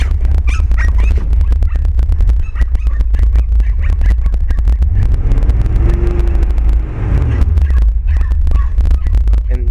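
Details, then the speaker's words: 1967 Mopar V8 sat about 12 years, mechanical fuel pump ordered; deep, lumpy idle with uneven, shaky, jittery firing pulses that never smooth out: rough idle, owner suspects ignition wires, not confirmed. "um the engine you know it's kind of shaky I don't know maybe I need ignition wires also"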